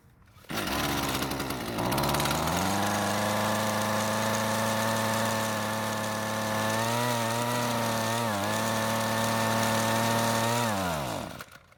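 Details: Husqvarna string trimmer, original carb being tuned on viewer tips: the small two-stroke catches, buzzes up to a steady pitch, wavers and dies, won't stay running from fuel starvation; the L screw is turned a quarter turn counterclockwise for more fuel.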